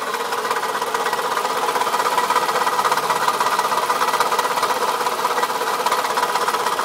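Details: 2004 Toyota Camry at steady idle, noise started today: a light, fairly regular knock about three times a second. Owner suspects a bad piston; this engine knock is not confirmed.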